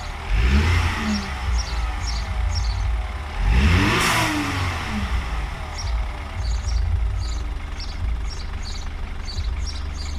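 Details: BMW N20 cold start: engine revs up and settles with a low droning buzz under the rev changes; owner suspects the oil pump or balance shaft; new oil pump and timing noted; cause unconfirmed.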